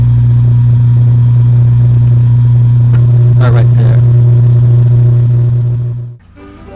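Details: Restored 1965 Silvertone Model 4236 tape recorder, hum control being adjusted: loud steady low buzz drones for about six seconds, then drops away sharply; mains hum, strongest when the hum control is set badly.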